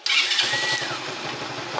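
Short starter whir, then the little engine catches at once and settles into a steady even putter: starter and battery fine.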